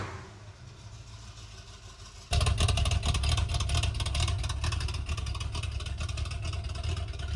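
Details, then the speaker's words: 1978 Ford Bronco V8 after sitting decades, with new intake gaskets and a carb rebuild (broken needles on over-tightened mixture screws), start: quiet until it fires about two seconds in, then a loud, steady, deep run with open exhaust; runs healthy. "The engine is completely together, running. It's ready to go."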